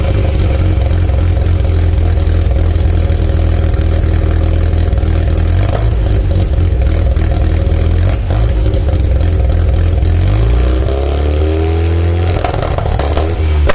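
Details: Mazda RX-7 SA22C with 13B turbo rotary after catalytic converter delete: loud rough idle with uneven stumbles and pops, then a rev rising and falling; engine misfiring.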